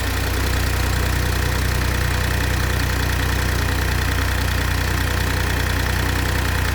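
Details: BMW X1 18i B38 three-cylinder at cold-start idle: quick, fairly even tick about three times a second over a steady hum; source of the tick unknown.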